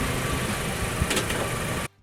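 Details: Mazda after fixing a cylinder 1 misfire with spark plugs installed and the coils refitted: smooth, even engine note with no stumble or skip for about two seconds before shutting off; running cleanly.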